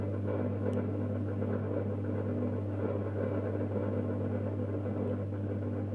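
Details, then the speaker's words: Mazda Junior G light fitting with a halogen-floodlight-style reflector, warming up: a steady mains hum with a coarse buzzing rattle, as the reflector vibrates even though it is screwed on tight. "On entend le réflecteur vibrer, et pourtant il est bien vissé."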